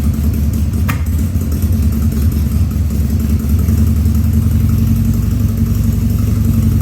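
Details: 2000 Harley-Davidson 1200 Sportster V-twin on its first start after a carburettor rebuild and leak repairs, with no air cleaner fitted: a lumpy idle with occasional stumbles and coughs, running slightly lean.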